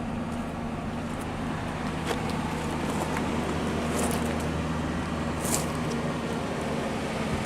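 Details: 1998 Ford F-150 pickup, warning lights suggesting possible brake trouble: steady even low idle with a smooth hum and no knocks or misses over faint street noise; engine runs fine.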